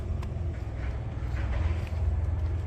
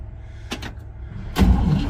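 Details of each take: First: 1957 Pontiac Star Chief, sat for years in central Florida: starter churns steadily at about four turns a second and the engine seems to nearly catch near the end but won't run; crank no start, cause not yet checked, spark plugs to be pulled next. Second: 1957 Pontiac Star Chief, sat for years in humid central Florida, first crank attempt in park: a couple of clicks, then a low, steady churn as the starter spins the engine over freely with no binding; healthy cranking. Owner suspects the points need cleaning.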